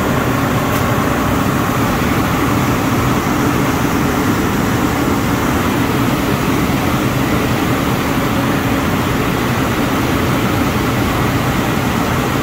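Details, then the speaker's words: 2007 Ford Explorer with a newly fitted mechanical clutch fan replacing an electric fan; even idle hum with fan whoosh, no rattles or clicks, idle comes down after a minute; fan later rubbing a hose; normal idle. "it's normal for the idle to come down after a minute or so"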